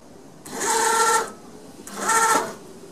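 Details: Dental 5-axis CNC machine, being checked after it was dropped by movers, jogging an axis (the Z axis is being tested): two clean motor whines under a second each, even pitch with no stalling or grinding; jogs normally.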